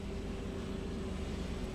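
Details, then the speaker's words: Chevy Vortec V8 truck (1999–2007 GMT800) started after an O2 sensor replacement. Steady, even idle with a smooth low rumble and no misfire or ticking. It is running good. "Back top side, crank it up. Woo! Man, that's running good."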